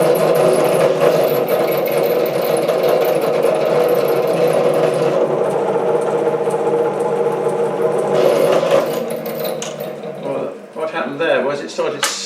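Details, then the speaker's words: Chinese SC2 mini lathe parting off 316 stainless steel nut with 1.6 mm HSS tool, chuck at half normal speed: steady droning cut with rough chatter, tone breaks up and falters; workpiece slipping in chuck. "slipping in the chuck. That is the last thing that I want to happen. Why should it do that, for God's sake?"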